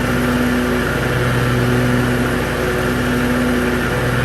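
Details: Hustler Raptor SD 54-inch zero turn mower after deck belt replacement; steady, even engine drone with smooth constant hum and no knocks or squeals, running healthy.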